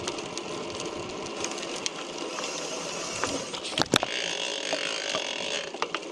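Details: Chris King R45D bicycle rear hub: dry crackling and crunching with sharp irregular cracks over a gritty rattle; the fault recurred after little riding, following an earlier repair that replaced the hub internals.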